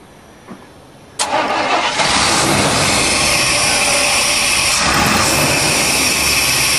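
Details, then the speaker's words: 1990 Chevy truck, 350 petrol V8, diesel put in tank, fuel line reconnected: cranks with foot half down, catches, stumbles, then loud ragged run smoking like a diesel while clearing; rough running from diesel-contaminated petrol, improving quickly. "here comes that smoke keep her running she's smoking like a diesel yeah don't shut her off keep it running"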